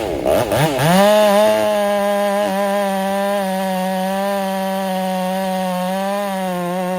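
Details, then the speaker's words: Ported Husqvarna 385 chainsaw, breaking in, tune slightly rich, cutting very hard hillside-grown oak: it pulls up fast and holds a clean, steady high pitch without bogging, cutting smooth, normal under load. "And right now it's cutting smooth, super smooth. It's like butter."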